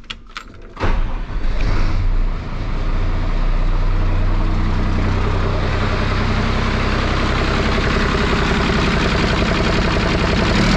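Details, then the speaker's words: 5.9 Cummins diesel swapped from P pump to VE pump after sitting 15 years, brief crank then catches at once and settles into steady even idle clatter; has oil pressure, starter drags, starts and runs as it should. "That is the way stuff is supposed to start and stuff is supposed to run."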